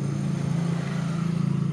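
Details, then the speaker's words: Single-door refrigerator not cooling but light on, after finding a dead PTC starter relay: compressor starts and runs with loud steady low hum, slight even pulse, no rattle; normal. "Menyala kembali berputar pasti ada suara seperti dengungan yang agak keras"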